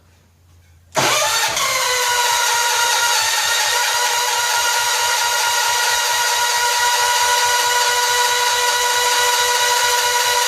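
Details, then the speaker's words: 1970 John Deere 140 H3 barn find, cold start on choke, oil leaking from head gasket: steady fast cranking about three to four turns a second with harsh metallic clatter; owner suspects loose head, starter sounds different than it should. "Wow I wonder if it heads even tight let's run around it with a ratchet making all kinds of racket"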